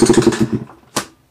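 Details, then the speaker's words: New 2021 Beta 200RR two-stroke with about two and a half hours, several heat cycles, plug out for a baseline compression test, electric start, throttle wide open: about eight quick, even cranking pulses; gauge reads about 170 psi, healthy compression. "all right so taking the throttle full open and let's crank it all right so we got a hundred and seventy"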